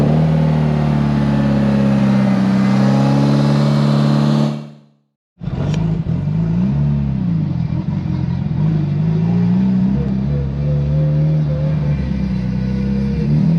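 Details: Built Mitsubishi Evo 8 with Kelford 272 cams, downpipe and full exhaust fitted, wideband wired: choppy loping idle surging about three times a second and settling; idle problem solved, normal big-cam lope.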